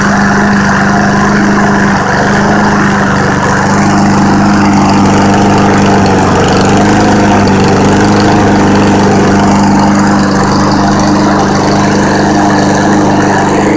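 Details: Husqvarna push mower, about $300, cold start after sitting all summer and half the fall. It smoked about 20 seconds, then cleared; throttle adjusted. Oil buildup near the spark plug by the exhaust was cleaned off. Steady, even drone with no misses or surging; running healthy, ready to cut.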